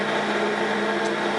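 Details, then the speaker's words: 1942 Sebastian lathe in back gear at slowest spindle speed, after stuck chuck backplate removed: even steady hum with a constant low gear whine, no knocks or grinding; runs smoothly. "Without the glare, and listen to this baby crank up. So I got the back gear in, running at slowest speed."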